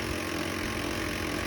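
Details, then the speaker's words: HP LaserJet M1319f MFP laser printer powering up to ready: a steady, rough grinding drone that runs without pause, a gear problem. "तो घर घर की आवाज़ कर रहा है, इसमें ये आवाज़ आ रही है। ये HP का LaserJet M1319 FMMP प्रिंटर है। प्रिंटर रेडी आ रहा है, ये आवाज़ कर रहा है।"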